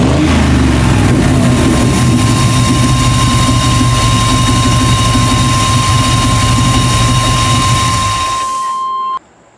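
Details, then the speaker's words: 1998 Chevy van 5.7 V8 after intake manifold removal and injector repair, lean codes P0171/P0174 and P0300: uneven lumpy, pulsing idle, stalls when put in gear; vacuum leak letting in unmetered air. "но что то случилось еще он не работает как положено глохнет при включении передачи"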